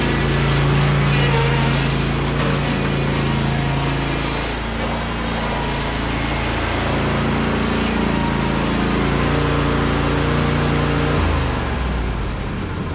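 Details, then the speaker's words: John Deere LA135 Special Edition lawn tractor, spring maintenance, run-up test with blade engaged after checking deck spindle bearing: small engine holds a smooth, even drone for over ten seconds, no knocks or misses; passes test, normal running. "Alright, so it's a pass test. The noise as when I was starting the blade, it's the I had some very let's say very near tar, so it's just yeah, definitely. So this tractor, that lawnmower, is still good for another summer."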